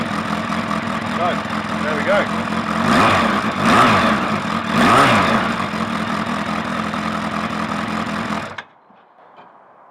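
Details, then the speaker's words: Suzuki Bandit 1200 first start after fitting a manual cam chain tensioner, clutch work and a Max Torque exhaust can with baffle in: big four starts and settles to a lumpy, loud, throaty idle with blips; sounds healthy. "so the max talk can still got the baffle in and uh still sounds pretty fruity to me"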